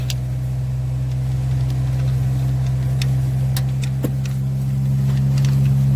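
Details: 2015 Chevy Silverado 5.3 V8 with P0300 misfire, flashing check engine light and valvetrain noise; steady idle with faint uneven top-end ticking and a lumpy beat; a collapsed lifter was found not holding pressure.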